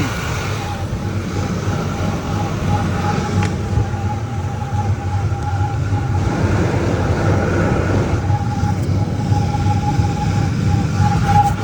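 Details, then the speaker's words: 2003 Ford Expedition, 295,000 miles, at warm idle at operating temperature, thin high chirp coming and going, recorded from the top; only chirps when warm, cause unknown. "Chirping is low and inconsistent right now."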